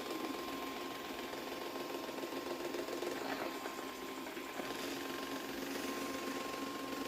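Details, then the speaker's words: Xiaomi Mi Robot Vacuum Mop 2 Ultra driving back to its charging dock: a thin, steady whine over a soft rushing hiss, running loud; owner suspects the underside brush is making the noise. "Ama altındaki fırça ses yapıyor herhalde ona bir bakmamız lazım"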